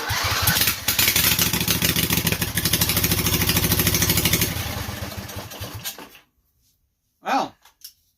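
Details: Briggs & Stratton Intek 18.5 hp V-twin, cranked on a jump booster: catches and runs roughly for about six seconds, then dies; fires only on priming fuel, so fuel delivery is suspected and the solenoid gets disabled next.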